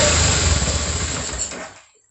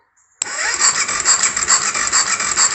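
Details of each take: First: 2004 BMW F650 GS Twin Spark fuel-injected engine, first start after reinstalling in frame, no coolant in system: catches, runs rough under two seconds then dies; hard start, likely fuel still priming, improving each try. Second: 2004 BMW F650 GS single-cylinder engine after rebuild and reinstall, no oil in it, first crank test: starter spins in even pulses with light whirr, no knocks or bangs; normal cranking.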